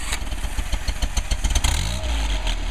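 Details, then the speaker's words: 1959 Mercedes 190c engine on test during final tuning: even low idle with a light regular click click click judged acceptable; temperature stabilizes once thermostat opens, timing 38° max total advance; normal idle. "nice idle sounds good sounds good"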